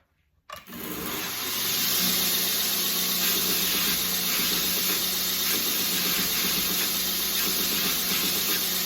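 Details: OBM surface grinder attachment with 90 durometer wheel on a 2x72 belt grinder, flattening a blade side: machine starts half a second in, then a bright, even hiss of abrasive on steel; normal smooth surface grinding.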